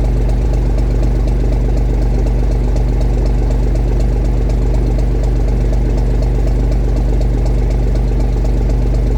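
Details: 1965 Gardner 6LXB 180 marine six-cylinder diesel on test stand after rebuild (it had failed 80 hours after a previous overhaul): deep, steady idle with even regular beat, no stray knocks or rattles; healthy idle.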